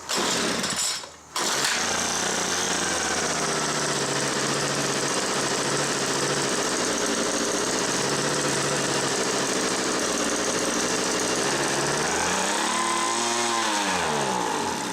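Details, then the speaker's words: Homelite MightyLite 26b leaf blower (UT08520) before carb repair: starts and runs on full choke, but on half choke revs high and shuts off; owner suspects more than the fuel line. Catches after a pull, runs rough on choke, then dies. "what's been happening is it will start in full choke it'll run but the moment I try to run into half choke it revs real high and then shuts off"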